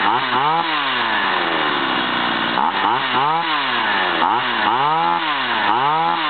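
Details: Stihl 028 AV chainsaw, over 30 years old, after carburetor overhaul and adjustment: crisp revs that climb and drop cleanly several times with quick throttle response and no stumble or bog; running well.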